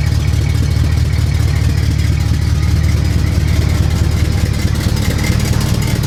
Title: Huge Exhaust leak i need to fix